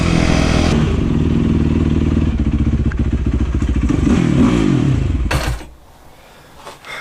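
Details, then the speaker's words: 2008 Yamaha YZ450F after valve clearances were corrected (way off), the carb cleaned and the accelerator pump rebuilt: crisp throttle blips rise and fall cleanly with no popping or misses. Revs much better; normal revving. "No more popping at all. Oh yeah, it's running good. It revs up so much better than before."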